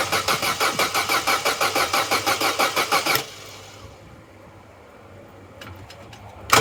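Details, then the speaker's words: Vauxhall Corsa B, unused for 4-5 years, cranked on a newly fitted battery: fast, even starter churn at about three beats a second, strong healthy cranking, but the engine never catches; pumping the accelerator changes the note slightly. "that's a good healthy turnover good healthy crank but no go we need the things that make it go"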